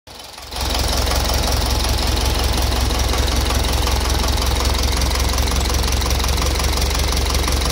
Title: Стук в двигателе